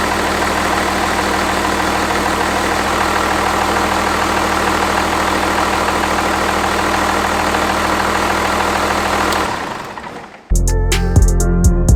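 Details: 5.9 Cummins from a 1993 Dodge Ram, swapped into a 1967 Ford F-250, idling while coming up to temperature after first start on the new engine bay wiring. Even, settled low rumble with no knock or miss: a healthy warm-up idle.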